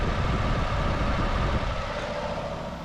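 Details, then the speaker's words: Steady low engine idle with the A/C compressor, beneath the spinning fan, engaged and turning smoothly after recharging through the low-pressure port; no grinding or knocking, A/C light not flashing, cabin air now very cold. "behind the spinning fan right beneath that is the AC pump and it's spinning"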